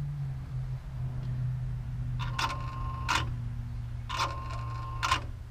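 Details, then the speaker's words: Bobcat 873G (AHC) with a lift-handle-not-calibrated 32-40 error and a replaced lift actuator; handle sensor reads 2.05 V in neutral, 3.14 V max down. Two short electric whirs over a low hum: normal actuator operation. Cause was a bad connector socket. "so this would be a down boom and looks like Max is 3.14 back to neutral the low voltage about 106 107 and you can hear that the actuator running over"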